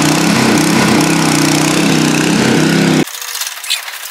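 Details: Nearly new Honda WB20XT water pump with GX120 engine that would not start, after carburetor cleaning: runs steady and even at a fast rate for three seconds, then shuts off cleanly. Normal running after repair.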